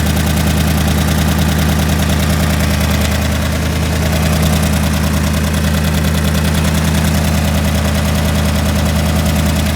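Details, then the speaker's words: Engine at idle, coil pack and cam sync not yet secured: steady, even idle with smooth low rumble, no knocks or misses; driver's side seems smoother, idle reads about 11.1:1, rich on driver's side. "What's interesting is that the driver's side seems to run smoother, but anyways, I got this thing going again, and so far so good."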